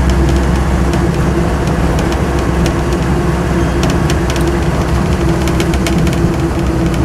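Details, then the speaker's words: Land Rover Series 2 88in diesel soft top, about 95,000 miles shown, driving in overdrive: steady diesel drone under road noise with no whine rising with speed; overdrive runs quiet, not howling, normal overdrive operation. "i'll put it in overdrive the overdrive is actually pretty quiet it's not the sort of nasty howling thing these sometimes have it certainly helps it a bit"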